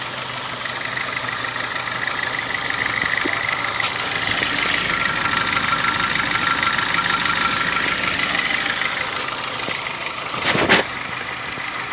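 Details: Honda Fit petrol engine at idle with light, uneven tapping about three per second, owner likens it to a diesel Kombi or old sewing machine and says it lessens when warm; engine knocking, cause unknown, car sent to shop.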